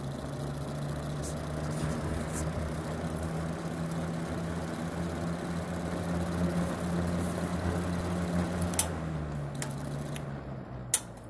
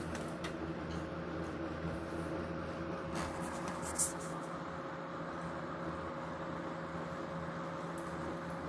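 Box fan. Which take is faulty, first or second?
first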